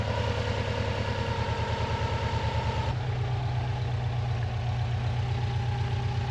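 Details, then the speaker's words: Non-AVCS JDM Subaru EJ205 boxer at warm idle, nearly up to temperature, after timing belt and water pump replacement that had caused loud metallic ticking: steady low even beat, no ticking or clicking; owner wonders if a tensioner was the cause. "Okay, I don't know how well you can hear me, but it's been running. It's basically up to temperature."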